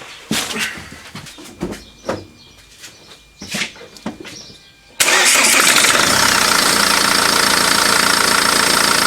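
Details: 2008 Ford Focus 1.8 TDCi after refitting the serpentine belt and cleaning the pulleys (old belt edge-ripped at 30,000 km): cranks, catches and settles into a steady, even idle with no belt squeal or chirp.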